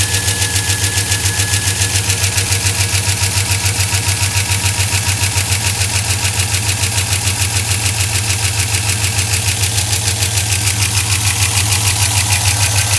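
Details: 2004 Chevrolet Silverado 5.3L V8, 59,000 miles, cold idle, after 5W-30 Mobil 1 and AC Delco filter change: sharp, fast even ticking about three a second, loudest when cold; possible air leak up top, cause unconfirmed.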